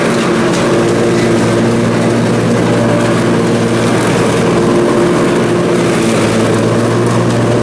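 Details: Briggs & Stratton Intek M44 twin engine after a full twin-carburetor tear-down and clean, under mowing load: steady, even drone, no hunting or surging; sounds way better. Normal running under load after repair.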